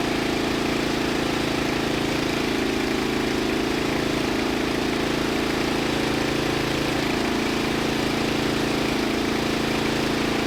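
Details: 2000 Murray LT1000 lowered riding mower, new exhaust, jump-started: steady even beat about four pulses a second never dropping back, idling fast; throttle return holding high RPM, idle set screw didn't adjust it.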